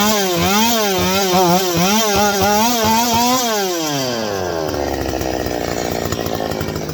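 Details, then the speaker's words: Stihl 025 chainsaw with a suspected vacuum leak revs up, wavers, then the pitch sinks and it falls on its face instead of holding speed, bogging under throttle; the leak is not yet confirmed. "Now, you see that? How it falls on its face?"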